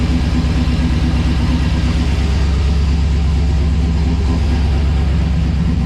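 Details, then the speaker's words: LS1 V8 in a 1951 Chevrolet Kustom on Holley Terminator X Max, first start after re-pinning miswired coil sub-harnesses: deep, uneven loping idle evening out over seconds; throttle secondary blades open late, cause unknown, possibly warm-up mode. "The second blades sort of open up quite late, I would have thought. But but yeah, so she goes, it is starting to even out a bit. Not sure what's going on."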